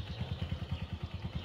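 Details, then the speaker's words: Honda Verza fuel-injected motorcycle that ran out of oil and made a klotok clatter from the block and cover, heard after the repair: an even, steady single-cylinder idle putter at about nine beats a second with no knocking. Normal idle. "dan sekarang udah oke suara udah normal ya"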